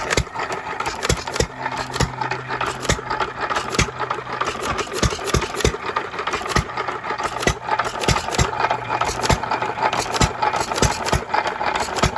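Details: 3 1/2 hp small-block Jaeger single-cylinder engine, previously stuck, running after reassembly: slow firing about once a second with loose mechanical clatter, steady and even; normal running.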